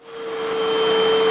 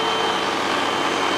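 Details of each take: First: Hoover upright vacuum UH7103 after filters cleaned and reinstalled, first clog cleared: motor spins up to steady high whistle near 500 Hz over airflow rush; remaining clog restricting suction deeper in hose. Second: Hoover UH7103 vacuum after clearing clogs in the hose and lower section: strong, steady motor whine with an even airflow rush, then a smooth spin-down at switch-off; runs freely with no restriction.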